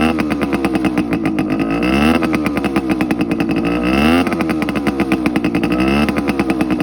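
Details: TC125 two-stroke dirt bike after a carb clean, a new fuel line with filter, and a switched spark plug: a sharp, even crackle rises and falls through repeated blips, returning cleanly to idle. Strong, healthy running.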